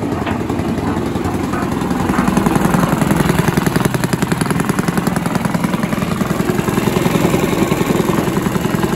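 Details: Villiers 10 petrol engine on an old Barford cement mixer, no choke, single-cylinder chugging at a steady even beat, no misses or knocks; compression not excellent, fuel seems to run through even with tap off; normal running.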